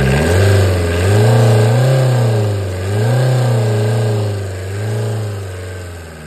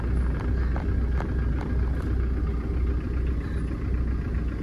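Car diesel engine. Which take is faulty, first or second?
first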